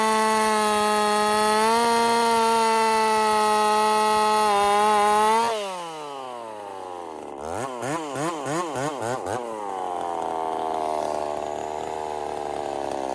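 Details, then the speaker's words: Husqvarna 50 Partner 5000 hybrid race chainsaw on its first cuts after a rebuild with a machined piston taper, in wood too big for the bar; a high steady scream drops and bogs as it bites, then recovers and revs out. Normal running under load. "okay so there we are um let me kind of go over this with you all right so yeah she's back up and running"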